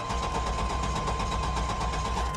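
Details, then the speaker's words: Long-parked old car with overfilled, possibly contaminated oil, fuel present and good oil pressure: quick even cranking, somewhat labored, never fires; no fuel pump sound heard, fuel pump suspected. "it sounds like it's cranking pretty healthy maybe dog wigging a little bit I'll tell you something I don't hear I don't hear fuel pump at"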